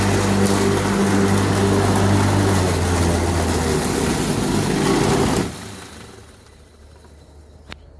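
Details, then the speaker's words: Lawnmower on its first test after repair: the motor drones with an uneven, wavering hum for about five seconds, then winds down. The blade and shaft are not spinning together; the blade slips on the shaft. "okay so um it's not working it started making those noises again and you can see although it's tight the blade is still the blade and the the shaft are not spinning at the same time"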